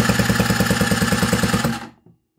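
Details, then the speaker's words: Scooter with a new cheap cylinder after a seizure, no exhaust manifold so loud, electric starter: fast even spinning, about ten soft puffs a second with little resistance; compression measured about 4 bar, poor for a new cylinder. "also weiter denkt warum es so laut dass das liegt daran weil wir kein krümmer haben und die kompression liegt jetzt hier bei ziemlich genau vier bar was für einen neuen was für einen neuen zylinder ziemlich schlechtes"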